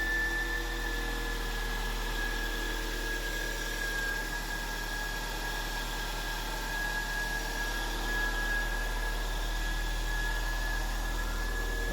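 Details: Toyota (Camry, Corolla or 6th-gen Celica, RHD JDM) petrol engine at its first start-up after an alternator replacement, belt tension checked. It idles with a steady low hum and a thin constant whine, no knocks or squeals; normal idle.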